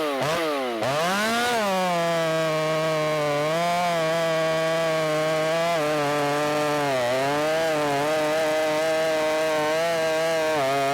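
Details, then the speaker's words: Ported Shindaiwa 757 chainsaw cutting a log screams at high revs but pitch sags repeatedly in the cut; the muffler outlet, cut off flat, sits against the log so the saw can't breathe and bogs. "I cut that off at a flat angle and so it looks cool but you could probably hear it it was getting right up against the log and it can't breathe so that's something that I'll fix in the future"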